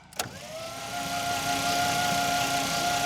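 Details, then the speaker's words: 1952 Dodge Power Wagon, buried and unrun for 16 years, compression test with plugs out: starter whines and engine spins fast and light without firing; very low compression readings, cylinder three especially. "Oh, that's a hard no. Yeah, these numbers overall don't give me a whole lot of hope."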